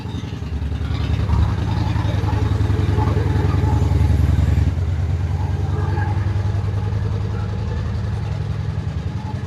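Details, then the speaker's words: Honda Shadow Spirit VT750 on new Chinese carburetors after idle speed was raised: even, loping V-twin thump at steady idle, no misses or stumbles, holds cleanly off choke; sounds healthy, though one carb was later seen leaking fuel. "So I adjusted the idle, and now it's running. That's a good sign. It sounds healthy."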